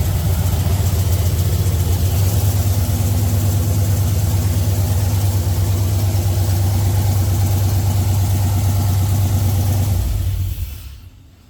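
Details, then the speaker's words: 1964 GMC truck V8 after a rewiring job and after swapping the reversed fuel feed and return lines: deep, steady idle with an even beat, no knocks or misses, holding smooth until shut off; runs normally. "all right all right so it starts it runs give her hell"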